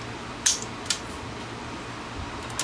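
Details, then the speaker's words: Vintage Superscope C202LP cassette recorder: sharp, irregular clicks over a quiet motor hum; the auto-stop lever and motor contacts stick, keeping the motor running. "So that lever is sticking. That's why that's why it's making that noise. It's keeping the motor running."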